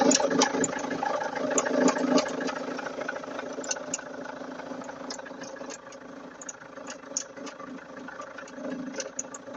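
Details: Vauxhall Antara diesel idling with a steady hum and sharp, uneven ticks about three a second from the engine bay: abnormal engine bay noise at idle.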